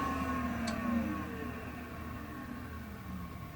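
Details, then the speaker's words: IBM PS/2 Model 60 at power-off: the hard drive's whine slides steadily down in pitch and fades over a few seconds, a normal spin-down. "Man, that hard drive spinning down is an event unto itself."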